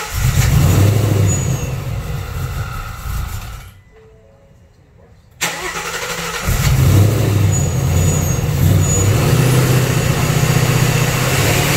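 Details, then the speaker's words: 2019 Ford Mustang Gen 3 Coyote V8 with Vortech V3 supercharger (3.6 pulley, about 11 psi), after a spark plug change: cranks, catches, dies, then restarts into a lumpy, uneven rumble because the cylinder 3 ignition coil was left unplugged. "I bet you I forgot to plug in some of the coils yes sir that's exactly what happened this guy's clicked in this guy's click thing this guy's quick okay so I was missing number seven I'm sorry number three one two three number three was not plugged in"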